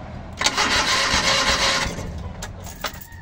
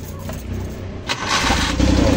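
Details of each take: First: Rusco multicab, carbureted petrol, hard starting in the morning despite two carburetor top overhauls; spark confirmed present: starter cranks over a second with no catch, then short stabs of cranking, reluctant to fire. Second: Rusco multicab that was hard starting in the morning, after replacing the whole carburetor: engine catches almost immediately and settles into a steady run.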